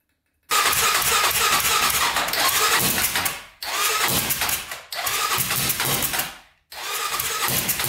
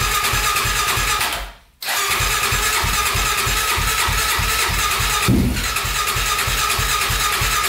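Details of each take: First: 1999 Honda 400EX quad, turbocharged, freshly honed cylinder, 198 main jet: sharp raspy revs sagging and cutting out between throttle blips; rough running as the carburettor leaks boost through a drain bolt not referenced to boost, since given a boost line. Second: 1999 Honda 400EX quad, single cylinder, first start after honing a cylinder scored by stuck piston rings and rebuilding, exhaust pipe fitted but turbo not yet connected: catches and settles into a fast, steady, even beat with no knocking or misses; runs normally.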